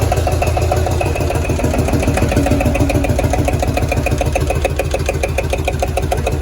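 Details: Field Marshall Series 3A single-cylinder diesel on first start after a rebore and oversize piston, fitted after a snapped piston ring, likely from pitting at the bottom of the bore: strong, even thump about three and a half beats a second, steady slow idle, sounding better than before.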